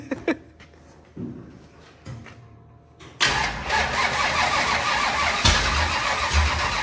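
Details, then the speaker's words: 25-year-old SBC 400 small-block V8 race engine after correcting timing and firing order, a few faint cranks then it catches, runs rough and uneven for seconds and struggles to hold; crew thinks it needs more fuel. "it wants to it wants to it needs a little bit more fuel"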